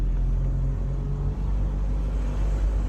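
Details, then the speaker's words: 1999 Mercedes R170 SLK test drive after new rear discs and pads and handbrake adjustment: low steady road rumble and drivetrain hum, no rhythmic rubbing; earlier rubbing suspected from bad handbrake adjustment is gone. "sounds good before you could hear the rubbing and i suspect that was because of the bad adjustment of the handbrake"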